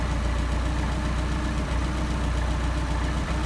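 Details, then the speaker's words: Engine on freshly rebuilt Solex 44PHH carburetors during idle-mixture adjustment, set to best idle: low, even idle pulse at about 775 rpm with no stumbles or hunting; running smoothly. "Looks like our best idle right there. So, now we're up to 775."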